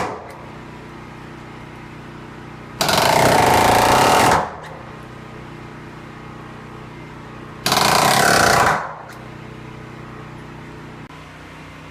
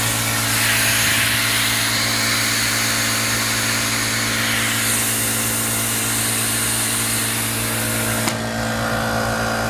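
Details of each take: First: Ridgid R350PNA palm nailer, oiled, at 100 psi, driving 3¼-inch galvanized spiral spikes: two bursts of rapid, even hammering, driving cleanly before it later blew a gasket. Normal operation. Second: Ridgid R350PNA palm nailer at 100 psi after about 10 minutes and 50 nails: connected and idle, a steady hiss of air escaping out the back with a faint hum; owner suspects a blown gasket.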